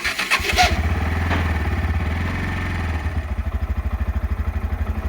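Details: NA160 motorcycle catches after a short crank, then settles into an uneven, pulsing idle at about three beats per second. Owner is unsure what the noise is or why; abnormal engine noise on start.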